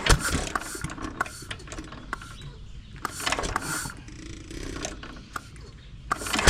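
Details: 1920s Taylor Model B hit-and-miss vacuum engine, long unused, started on choke with old bad gas: irregular sputtering pops with uneven gaps, struggling to keep a steady beat; cause suspected, not confirmed.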